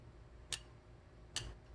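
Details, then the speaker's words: New 8-speed entry-level road bike, front inner chainring with rear sprocket in outermost gear, cranks turned slowly backward: two crisp isolated ticks as the chain drops and brushes the neighbouring cog; derailleurs correctly set, noise from modern sprocket tooth ramps. "이렇게 툭하고 떨어질 때 이 옆쪽에 있는 코 그와 스치는 소리가 나요"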